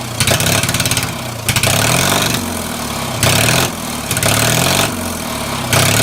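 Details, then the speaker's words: Mower running after 10+ years, just after a starter replacement. Loud, uneven running with sharp backfire bursts about once a second through a very open exhaust. "so uh you guys saw that backfire or not but that was sick so the camera really does not give it justice on how loud this thing really is"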